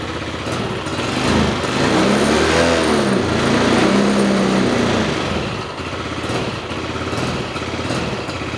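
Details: Yamaha Mio 125 carbureted scooter that won't accelerate: revs climb sluggishly and sag back without pulling clean; hesitation traced to tampered sensor wiring and a blocked head breather.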